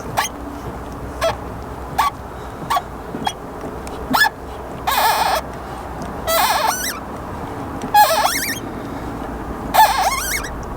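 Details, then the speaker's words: Caravan hitch clamped on a very shiny tow ball after about 100 miles of towing, despite regular cleaning: irregular squeaky groans and short creaks as the hitch works on the ball; glazed friction pads rubbing the polished ball. "if you want to know what the creaking sounds like let me go and put this into our hitch and hopefully you'll be able to hear exactly what's happening"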